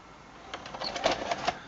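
Quick run of soft mechanical clicks and whirs over about a second, then quiet; the tape eject mechanism cycles cleanly and sounds healthy.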